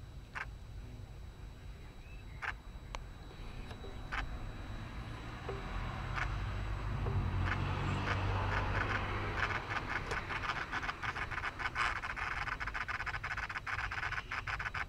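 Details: Rover 75 at idle: low engine idle with sharp, uneven clicking and chattering on top; owner suspects a noisy idle control valve, not confirmed.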